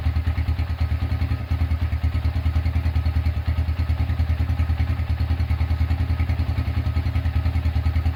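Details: Restored Honda Tiger single-cylinder engine running after rebuild; a broken exhaust bolt was repaired and the starter cable replaced. Steady, even low thumping at a relaxed idle with no knocks or rattles; smooth, normal idle.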